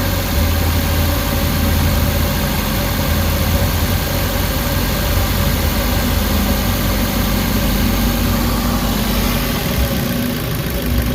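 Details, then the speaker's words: Warm Suzuki Carry engine idling under two minutes after adding XADO engine treatment, fixing earlier shaking, knocking and low power: low steady idle rumble, even beat, no knocking; vibration has largely gone and it runs smoothly. "Wala na yung yung inig niya nawawala na medyo gumanda na yung under guys oh yung nginig yung inaantay ko na matanggal so ayan medyo nawala na 'yung guys ah medyo smooth naung 'yung takbo ng makina."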